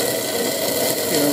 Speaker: okay this is what happens when you get pure water down obviously oil floats on water so it tins out the fuel that's already in the bowl and um it's going mental getting Smoky as well